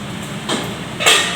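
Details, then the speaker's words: Samsung two-door inverter fridge with bottom freezer that isn't cooling, while ice is melted with water: two sharp cracks over a faint hum as an ice block splits off the iced-up evaporator and fan area. "Nah, bunyi kayak letak-letak itu teman-teman. Sudah bisa dipastikan itu ada blok es di dalamnya."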